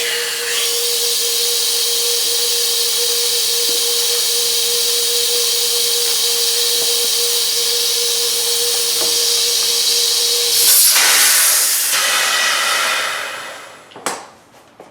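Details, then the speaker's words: Boost leak test of the intercooler piping held just under 30 psi (the car sees about 20 psi of boost): a steady loud hiss of escaping air with a faint constant tone; a new coupler is not sealing and will be refitted short of a ledge. "as I feared this is not sealing well so I'm going to redo that"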